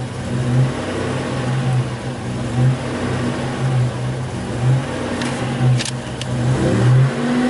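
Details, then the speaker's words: 1984 Buick Grand National, warmed up, with fuel-pressure regulator already checked; on throttle snaps it goes lean and falls flat, with uneven lurching surges; unplugging the mass airflow sensor is considered as the next test. "so we're definitely going lean when we snap have the throttle I think"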